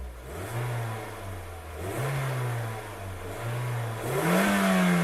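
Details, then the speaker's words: First-generation Toyota Yaris 1.5 TS after rear silencer replacement and a provisional exhaust repair: several clean throttle blips rising and falling smoothly, no rasp or blowing. The earlier rally noise is gone; normal exhaust note. "le faire juste mettre à les mettre quelques coups de gaz pour vous entendez que le bruit même dans les taux est normal vous allez voir on a plus ce bruit de rallyes qu'on avait"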